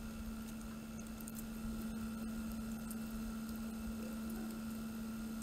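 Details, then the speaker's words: PC water cooling pump at 100% speed, microphone pointed at pump: quiet steady hum at constant pitch, no rattle, grinding or gurgling; earlier noise gone after disassembly and reassembly, pump apparently fixed itself. "let me tell you this it no longer makes the noise as before"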